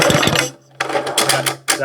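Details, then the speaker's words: 2000-watt generator unused for years, recoil pulled before fuel opened: slow pulls bring firm resisting chuffs as the piston comes up; good compression. "That's compression. All right. Now let's see if it'll actually turn over."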